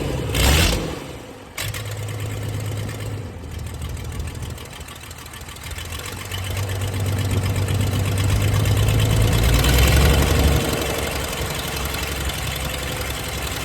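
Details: 1996 Dodge 2500 diesel, cold, no exhaust fitted, after stock HX35 turbo replacement and transmission swap, still burning off oil: starting and idling unevenly with a light tick about three times a second, shaking; owner says it always ticked cold; rough cold idle.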